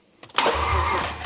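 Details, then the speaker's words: V8 race car first start: a quick crank catches almost at once and settles into a rough idle, starting with no brake pedal pressed when it shouldn't have; cause suspected, not confirmed. "So in my defence, the Red Bull. there was no brake pedal on. Yeah. So it shouldn't have done that."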